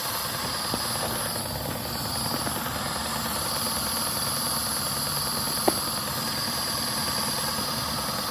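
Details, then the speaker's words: Daihatsu engine that had cranked but would not start, now running after a fuse check without a scanner: steady, even idle under a hissy background with no misses, knocks or stumbles, a normal idle. "अभी तो फिलहाल गड़ start है तो अभी बिल्कुल गाड़ी start है"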